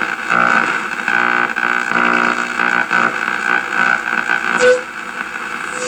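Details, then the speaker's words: 1937 Sears Silvertone tube radio after IF alignment and new eye tube, shortwave reception; constant hiss and steady whistling tones over a faint signal, swamped by interference; cause suspected, not confirmed. "it's easier listening than i am than it is in a short that's mainly because of all the interference on top of everything"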